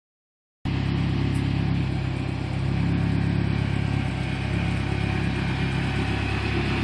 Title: Turbo ranger making strange noises.